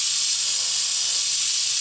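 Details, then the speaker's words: Air Star 30 dual-head oilless compressor, preventive maintenance: bleeding tank via drain valve to check moisture, force cycling, verify purge solenoid, leaks and pressure switch at 80–100 psi; steady high hiss without knock or rattle, normal drain-off. "for moisture and we're also going to exhaust enough air to make the compressor cycle again so we can ensure that our purge solenoid's working and that we don't have any air leaks"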